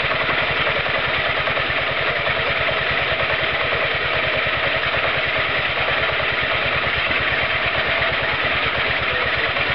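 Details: Roketa MC-54-250B scooter, 250cc, 1730 miles, stalling at every stop: fast buzzy single-cylinder beat at raised revs with slightly uneven pulse; intake and exhaust valves had no gap at TDC, fixed by valve adjustment.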